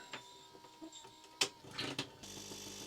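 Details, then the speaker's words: Repaired coffee machine, water added, hot water button pressed where it previously did nothing; a few clicks then steady, even pump hum as water comes out; normal pump operation. "making some different noises that's really promising there we go look at that water's coming out"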